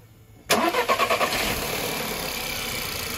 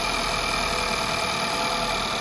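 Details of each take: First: 2011 VW Polo MK5 1.2 TSI (CBZA), about 100,000 km, at startup: quick burst of clattery rattling for about a second before settling to steady idle; worn timing chain/tensioner rattle, before replacement with updated revision kit. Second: 2011 VW Polo MK5 1.2 TSI (CBZA), about 100,000 km, first start after replacing the timing chain and crank sprocket: a smooth, even idle with no rattle or slap. It runs healthy.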